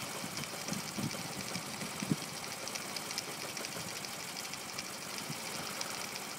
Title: Honda c70 rough idle